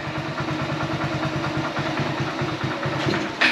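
Steady, even low thump at idle with no knocks or misses, then a brief blip near the end; engine idling normally on choke.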